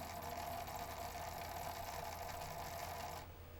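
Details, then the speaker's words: PlayStation 1 SCPH-9002 with replaced laser, playing a disc: rapid, slightly irregular ticking about four a second over a faint whine; the drive is skipping and being run in; cause unconfirmed, owner wonders about power. "I'm going to run it in for a bit because I can hear it skipping. But at least it's playing."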